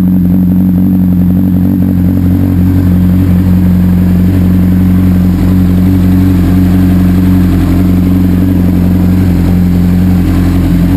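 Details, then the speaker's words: 2004 Honda CBR600RR four-cylinder engine with 14,000 miles (21,000 on the chassis), heard starting and running before removal for part-out. Smooth, even note held steady with no knocks or rattles. Healthy engine. "before I pull the engine this is what it sounds like this's 21,000 mil on the chassis and 14,000 Mi on the engine"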